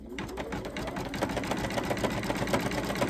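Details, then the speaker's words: Sweet Pea embroidery on sewing machine with new needle, stitching through batting, stabilizer and several fabric layers; fast, slightly uneven chatter about two stitches a second, harsher than usual; sounds off, cause unclear, later sounds normal again. "Doesn't sound right to me. Although it is going through multiple layers. I have to remember that."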